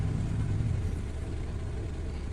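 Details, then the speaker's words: Honda Civic FD 1.8 (K20 tag), warm engine, after removed-throttle-body cleaning caused high, hanging, swinging idle above 1,000 rpm: after HDS throttle reset and relearn, low steady idle around 750 rpm with no surging or hanging. "เสร็จสิ้นแล้วอ่ะก็สตาร์ทเครื่องอ่ะรอบลงมาต่ำกว่า1,000ละเห็นมเล่นเครื่องอ่ะลงมาไม่เด้งไม่ค้างแล้วนะครับนี่ครับรอบเดินเบาอยู่ประมาณ750บวกลบโดยประมาณนะครับ"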